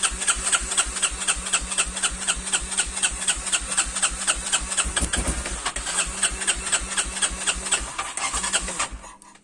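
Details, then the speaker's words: Quad single-cylinder engine cold idle: even thumping about four beats a second, clean with no misses; runs fairly well though idle slightly high. "Donc là, il est tout froid. Donc il tourne plutôt bien, c'est juste qu'il est un peu haut dans les tours, mais"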